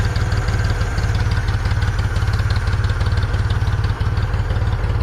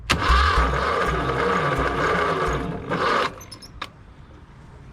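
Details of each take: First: 1974 Ford 3550 industrial tractor, revived after 18 years sitting: steady, even low chuffing at a settled idle with no misses, knocks or hunting, left idling. Normal idle. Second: 1974 Ford 3550 industrial tractor, sitting 18 years: starter churns steadily about three seconds with no catch or firing; bad electrical connection and misbehaving carburetor suspected, unconfirmed. Cranking, no start.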